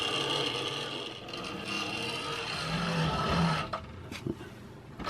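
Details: Wrenn R1 class locomotive, Southern green no. 1127, Hornby-era 1968 mechanism, before servicing, drawing about 500 milliamps: scratchy, uneven whirr that falters and drops out briefly; motor dragging and sticking, magnet recharge and servicing planned.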